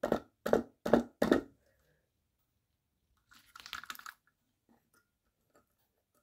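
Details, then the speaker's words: Compact fluorescent lamp, 11 W 2700 K spiral, HF-marked, salvaged from recycling: four sharp crackling bursts then faint scattered crackles while it fails to light at all; something inside may have blown, cause unknown. "elle fait un peu de bruit j'espère qu'elle est pas cassée dedans je sais pas pourquoi ça fait ce bruit là"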